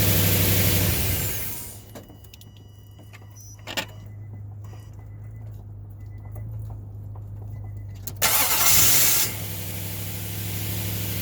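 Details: 2005 Nissan Titan with a random intermittent no-start despite new positive and negative battery cables, starter and ECM relay; owner suspects the IPDM or ignition switch. Short cranking bursts with pauses, then only a low steady hum remains.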